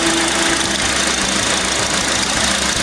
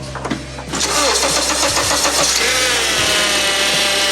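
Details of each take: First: Honda Accord after fitting a brand new power steering pump and a new belt: steady idle with a smooth, even pump whirr, no squeal; pump now working properly. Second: Honda Accord with a newly fitted replacement power steering pump, low fluid: loud, wavering high whine that shifts pitch with steering load; pump starving for fluid, more fluid being added.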